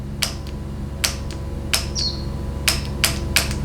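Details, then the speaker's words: 4L60E transmission shift solenoid energized on the bench during teardown for a no 2-3 upshift complaint: sharp, clean clicks at irregular intervals; solenoid responds normally, though suspected of not shutting off. "And we hear the solenoid responding, so it's at least functional."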